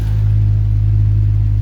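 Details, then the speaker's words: 1972 Triumph TR6 six-cylinder just after an engine rebuild, warm idle at about 900–950 rpm: deep, smooth, even rumble with a steady low beat and no ticks or misses; idling cleanly, though the owner suspects an air leak affecting the mixture. "But overall, I'm very happy. Now, it sounds like it's quite idle, but according to"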